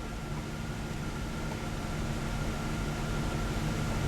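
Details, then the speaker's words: 1993 Chevrolet Corvette C4, engine running, after climate control head unit contacts cleaned: steady airy blower whoosh over engine hum, rising slightly as fan speed increases, no rattles; fan, speed and vent controls now working. "Fan is kicking on. We got this, 0. We got fan speed here. Got control of the vents."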